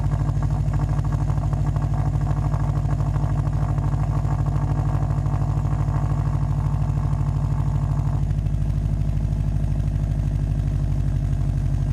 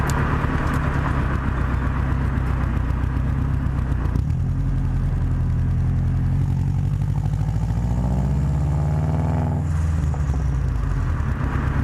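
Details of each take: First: Subaru WRX turbo engine idling with a rapid, raspy puffing tick over the exhaust note from an exhaust leak at the downpipe-to-cat-back flange, before fitting a flange adapter to cure it. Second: Subaru WRX after fitting a downpipe-to-cat-back exhaust flange adapter to cure a flange leak: deep steady exhaust rumble with smooth rev rise and fall, no puffing or ticking at the joints; sealed, normal exhaust note.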